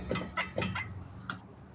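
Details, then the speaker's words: 2012 Toyota Highlander on a lift with a driver's side grinding noise: sharp metallic clunks as the wheel is rocked by hand, showing play in the hub from a worn press-fit wheel bearing. "you could see in there the movement inside the Hub that's the that's the wheel bearing"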